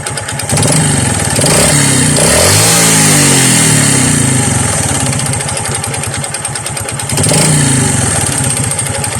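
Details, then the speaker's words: Honda XRM 125 before overhaul: rapid rattly knocking thickening as revs rise and fall, from a worn connecting rod and crank pin, with piston slap in the block also suspected. "Syempre before natin Ikabit ang kany M par sa inyo ang unang tunog ng kanyang makina hindi natin Pinalitan ng set na connecting r naeliminate ba natin o may natira pang ingay"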